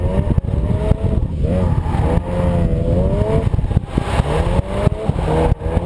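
Engine revs with the exhaust note stumbling, dropping out in irregular gaps and pops as speed rises; a clear misfire.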